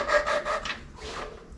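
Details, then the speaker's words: 8BA Ford flathead V8 valve job, hand-lapping a valve seat with compound and a suction-cup stick in cold weather: quick coarse back-and-forth rasping about five strokes a second; the valve is still gritty against a seat not yet seated. "once you get your compound lifter in place valve in place and you use a little stick in suction cup de put it on there hear that like grindy"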